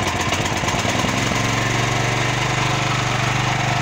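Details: Champion 9000-watt dual-fuel electric-start generator that used to start, backfire loudly and die after about 10 seconds, after the fix: catches after a brief uneven start and settles into a steady, even run with no backfire or stalling.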